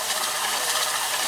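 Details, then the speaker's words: Sony SVO2000 VCR trying to rewind a counterfeit tape: dry scratchy whirring and rubbing with no clean motor hum, transport stops and won't rewind at high speed; tape stuck tight, falling apart. "which is in now it will not rewind at high speed it just stops"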